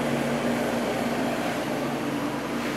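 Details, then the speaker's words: Climatrol window air conditioner (Rotorex compressor) just started on high then low fan; fan rush with a low steady compressor hum settling in after compressor kick-in, no rattles or clunks; normal compressor start. "I want to start up the Climatrol. There's high fan, low fan. Compressor just started."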